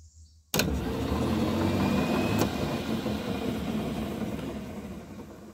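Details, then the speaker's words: 1985 Club Car golf cart, wheels spinning as solenoids are engaged one by one via their terminals, from low through medium to full speed: a steady electric drive hum and tyre rush with no grinding. Solenoid contacts and plungers are all good. "I'll engage the first solenoid now I can come and touch terminal and we'll get the low speed you can hear the tires running"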